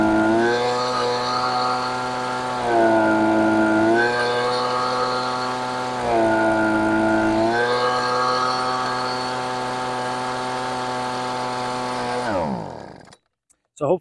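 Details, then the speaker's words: Husqvarna 125B leaf blower two-stroke at full throttle during carb high-speed mixture tuning: note sags and burbles in repeated swings when richened (four-stroking), clearing when leaned out. "you noticed and could hear that I was basically going on off on off on off as I went to the left and I riched it you could hear it for stroking and then when I went just to the right you could hear it going away again"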